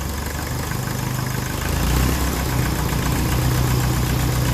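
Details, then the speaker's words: 1954 Ferguson TEF 20 diesel tractor after cooling system work: low chugging idle with an uneven beat and odd stumbles as air reaches the injectors; air in the diesel fuel system. "Definitely air in the system, you can hear it there. A little bit of air, but we'll let it make its way to the injector."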